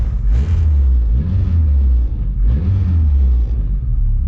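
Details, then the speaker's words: Honda D16Y7 non-VTEC head with locked VTEC cam, cold just after first start, idle air control valve turned up: low rumbling idle rises quickly on a short blip and drops back cleanly; responsive, air-fuel a little rich (about 10.3) from cold. "seems to be pretty responsive air fuels are like I said a little rich because of the cold temperature"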